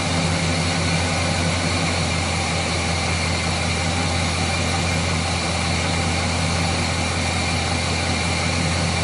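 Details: Chevrolet 350 V8 after intake manifold gasket repair (valley-side failure had caused oil consumption, rough idle and misfires on two cylinders): smooth, even idle with steady low rumble, no misses; previously misfiring cylinders now back.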